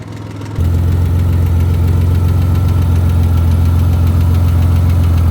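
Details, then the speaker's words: 1963 Chevy Corvair flat-six started after years sitting, no tune-up; deep, even low drone with smooth steady pulses, no misses or knocks, carburetors holding a clean steady idle. "Well, I'd say it runs all right. Sounds good with zero tuneup, zero other inspection of the motor."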